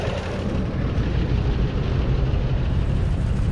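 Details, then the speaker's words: 1988 Chevrolet Caprice Classic Wagon after 15 years stored, now seemingly pulling fuel from the tank: deep lumpy idle with uneven beat, coarse exhaust note and a little noise up top; owner thinks maybe slightly too much gas, exhaust pipe crushed. "oh she's coming around a little bit a little bit of noise up top but really not so bad this thing runs great very excited about this maybe a little bit too much gas right there probably"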